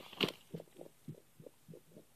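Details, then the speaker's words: Dryer taking over 2 hours to dry: soft bubbling gurgles in irregular bursts heard from the vent duct, which is flexible metal and not connected to the wall; water in the duct suspected, clog likely, not confirmed. "you can hear kind of like water bubbling and I can hear water moving over there"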